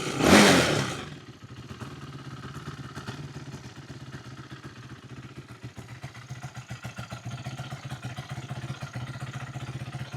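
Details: 2008 Yamaha YFZ450 single-cylinder quad, pieced-together, idle turned up and choke on: after a loud first burst it settles into a weak, uneven popping idle that wanders and nearly dies; carburetor leaking badly, unstable idle.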